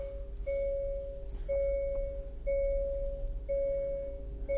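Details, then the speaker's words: 2023 Hyundai Santa Fe after replacing a failed rear parking sensor: clean mid-pitched beeps about once a second while reversing toward a car; centre and both side sensors triggering normally, no error. "Center is working and the two sides are working. All working as they should, all flagging up."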